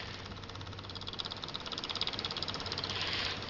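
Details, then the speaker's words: Atomic 4 inboard engine in a small wooden boat with an aftermarket electric fuel pump: quick, even ticking about three times a second with the engine off as the pump is switched on and runs normally. "it's making that clicking sound that means it's running"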